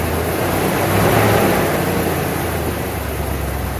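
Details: 1992 Ford Bronco, first start after being bought not running, coolant almost empty, oil a quart overfull: uneven, lumpy idle with a brief swell, then settles steadier; rough idle, smoothing up.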